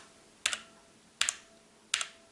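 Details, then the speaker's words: Motospeed CK62 keyboard typing: three crisp keystrokes about 0.7 s apart, each with a bright metallic ring after the click from switch spring ping; quieter than blue switches. "i'll give i'll give this one a seven out of ten and the um travel caliber i'm giving this one a nine nine out of ten because this one you can still hear a little bit of the pinging"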